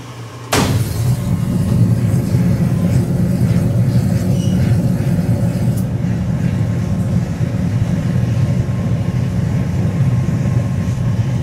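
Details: Oil furnace, after a failed-ignition cycle left atomized oil fog and leftover oil in the combustion chamber, ignited after several seconds' delay: quiet start breaks into a sudden whoomp then heavy low roar as the fog lights at once.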